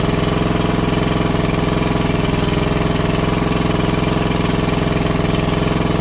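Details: WWII Chore Horse 300-watt battery charging set, model CH1 395-5, original 1940-41 paint, after slight throttle-screw adjustment: crisp, even firing about 3.5 beats per second with steady hum, no misses; small single runs smoothly, works great.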